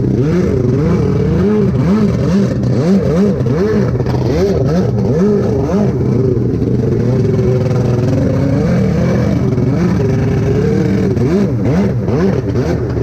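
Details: Rebuilt SuperFreak two-stroke watercraft on the water, hard to crank and running worse than on an earlier day despite carb work: surges and stumbles with uneven wavering revs, never settling clean. Poor running, carburettor suspected.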